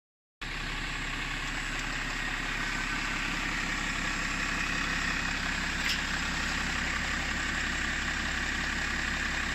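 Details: BMW 525d LCI with M57N2 diesel at idle: steady clatter with uneven pulsing about four beats a second, engine cover vibrating; general rough idle, owner asks whether it is normal, cause not evident.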